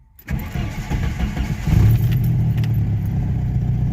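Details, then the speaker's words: 1986 Jeep Comanche 2.5L, 4-speed 4WD, after idle motor fix, first warm start: short crank catches quickly and settles into a steady, even idle with no stumbling; healthy. "I mean listen to that that's idling right where it should like I can tell without a tachometer that's a healthy Idol right"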